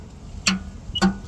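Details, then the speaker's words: LeeBoy motor grader diesel fitted with a universal Kubota ignition switch after the key was lost: two sharp single clicks about half a second apart over faint hum as the accessory wire is touched; the fuel shutoff solenoid pulls in properly. "that's your fuel shut off soleno to cut it on when your accessor is touch there that's how you test to make sure it is correct your fuel shut off solenoid came [Music] on"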